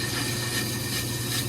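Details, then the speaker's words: Brake lathe turning a 2017 Silverado half-ton 4WD rotor on the final finishing pass at very slow speed: steady, even hum with a faint high tone and no chatter, cutting cleanly for a fine finish. "on this, which is making the cutters go really slow, putting a really fine finish on the rotor. And this will be our final pass."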